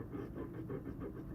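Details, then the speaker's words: ARCTOS 6-axis robot build, joint with repaired gearbox now free of backlash; rhythmic scrape about five times a second over motor hum when moved quickly; scraping noise on fast moves, stepper motor suspected, not confirmed. "there is a bit of if I move it too quickly there's some"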